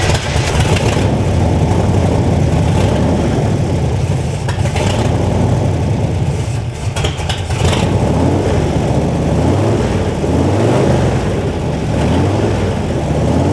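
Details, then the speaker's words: 1963 Corvette Split Window V8 first running in about 40 years, ignition timing thought too far advanced: runs lumpy and unevenly on its own, beat wandering without a smooth idle. Rough running, cause unconfirmed. "basically right now the car runs which is a huge plus compared to the last time we were here it wouldn't run really at all by itself by itself so it runs a little bit by itself which is good"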